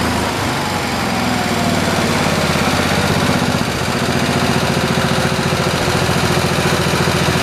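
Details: 1973 112 garden tractor engine (new points, coil, condenser, carburetor) throttled up with a choppy, uneven beat and occasional stumbles from an engine misfire. Sparks were seen from something loose underneath.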